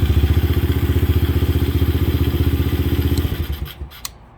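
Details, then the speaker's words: Kayo 125cc quad that cranked but would not start until the kill-switch tether was pushed fully in: even, steady thumping idle at about four beats a second, then shuts off; healthy after the fix. "no start until you push this in resets boom so sometimes we we overthink the little things like that when it has an arrow on it telling us hey maybe you should push it in it's all good KO 125."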